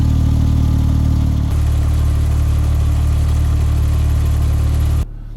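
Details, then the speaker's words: Porsche 997 GT2 RS after new lightened flywheel, upgraded clutch plate, slave cylinder, new exhaust and cats: deep, slightly uneven idle with low chattering flywheel rattle that goes away when revved; normal lightweight flywheel idle rattle. "Now I can hear the flywheel right now. You can hear it vibrating."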